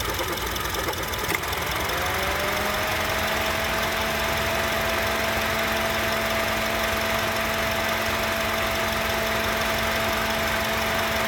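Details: 2007 Honda CR-V idling with AC off: uneven odd clunking; twice the AC switches on, a steady hum cuts in and the clunk goes away.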